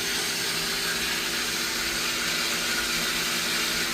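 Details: Pedrollo water pump, made in Italy, leaking water: steady loud hissing whir with a low hum underneath, constant speed; the pump runs noisier than it should.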